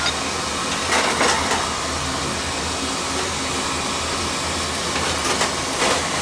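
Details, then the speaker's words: Utica oil-fired boiler during service, draft checked over the fire with a good chimney and clean, soot-free boiler: steady, even burner roar with no pulsing or rumble; normal burner operation. "Yeah, we're getting good draft. Once I got my finger over, I'll release it. See, we're getting good draft over the fire. That's perfect right there."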